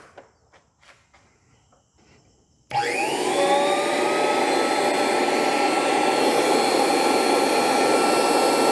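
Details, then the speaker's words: Dumore toolpost grinder, high-rpm motor on temporary glued belt: silence, then a climbing whine that settles into a steady even high hum, smoothing out as rpm rose; normal running. "It smoothed out when the RPM came up."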